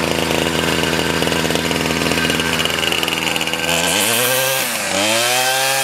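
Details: 2001 Ryobi 775R straight-shaft two-stroke trimmer, cold-started after six primes and choke, with a clutch: a high steady buzz that blips and rises with throttle twice, running strong and clean from cold.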